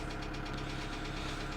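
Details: 2008 Kia Sedona 2.9 CRDi diesel (J3), P0016 crank/cam correlation code returns: rapid, regular knock at idle holding as revs rise slightly; jumped or faulty timing chain suspected, not confirmed.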